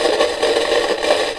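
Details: Kaiser W1835 tabletop radiogram, German set: irregular crackle and scratchy rattle over hiss, persisting after lifting capacitors, stopping on speech setting; audio-stage fault, resembling silver mica disease but owner doubts it.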